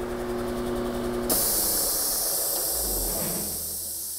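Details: New Polar Air Industrial Plus 7.5 HP compressor (Eaton) with whisper intake muffler, switched off on first run: steady motor hum cuts out, sharp rush of air hisses and fades over three seconds; normal shutdown purge.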